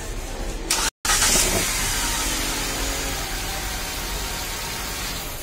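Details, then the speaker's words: Hyundai Xcent after starter motor bendix replaced for intermittent missed cranking: brief crank, then the engine catches immediately and settles into a smooth, even idle; starter engaging properly, normal start. "तो दोस्तों ये हो चुकी है finally complete. सो इसमें जो उसका बैंडेक्स था वो डिफेक्ट था, सो उसे हमने रिप्लेस कर दिया है।"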